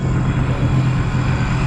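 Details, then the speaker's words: Sea-Doo RXT 260 with fresh OEM engine on a break-in ride on the water after the previous engine locked up: steady, even drone with no knocks or misses under water and wind noise; normal running. "Looks good though. Sounds good. Sounds good. Should be a good test."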